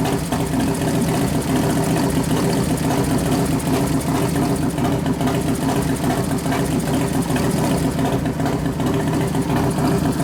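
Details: New 1993 Harley FXR Evo 89ci stroker build, restarted with compression releases after refuelling, warming up, no air cleaner; deep loping potato-beat idle, throttle blips settling evenly: normal idle.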